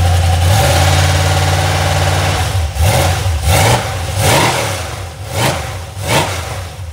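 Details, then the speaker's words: Iron 5.3 LS LM7 V8, believed 2002–2003, mileage unknown, likely BTR Stage 2 truck cam, on a run stand just fired; idle and blips with light fast ticking from unprimed lifters, one bank smoky. "the valve train sounds a little noisy you could probably hear it on"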